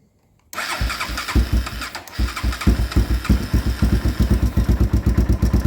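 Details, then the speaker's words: 2001 Honda 400EX ATV after a suspected lockup, started with choke: catches, stumbles briefly, then settles into an even, steady idle thump; running properly again, normal running. "Yeah, there it is. So it's running again. I don't know what happened. Sounds good too."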